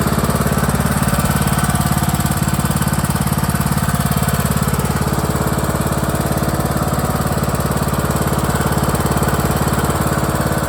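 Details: John Deere E100 lawn tractor running with parking brake set and PTO disengaged: steady thumping about 3½ beats a second, even and unbroken; healthy, smooth-running engine.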